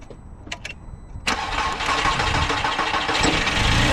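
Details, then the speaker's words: Car with dead battery, jump starter pack connected with green light: after a short silence the engine fires about one second in and builds to an even, steady run; starts fine on the jump pack. "it goes perfect"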